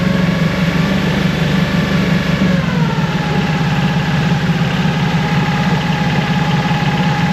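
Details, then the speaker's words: Mercury 25hp four-stroke EFI outboard after replacing the idle air control solenoid, warming up after a start with a little throttle: low drone wavers and sags as if about to stall; rough idle persists, cause still unknown. "Let it warm up. Seems like it's still going to die."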